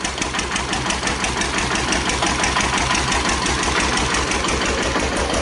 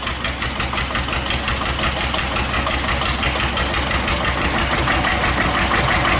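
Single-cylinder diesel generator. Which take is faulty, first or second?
second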